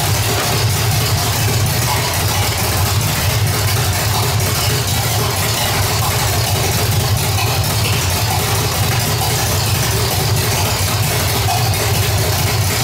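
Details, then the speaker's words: 1985 Chevrolet Stepside with cammed V8 (claimed 400 hp Corvette motor), roller rockers, gummed-up old carburetor: even deep idle with steady cam lope, no knocks or misses, healthy. "but definitely sounds good you can definitely hear a little bump in the cam and uh sounds pretty healthy doesn't look good but definitely sounds good"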